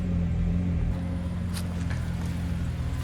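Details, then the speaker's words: BMW petrol engine started after sitting a week and a half: a low, uneven rumble with a loping beat, idle rough at first. The owner suspects a failing high-pressure fuel pump, which is also hurting emissions; not confirmed. "Idle is a little rough in the beginning. Haven't started the car in like a week and a half, so with it going like that, it makes a big difference on what's going on."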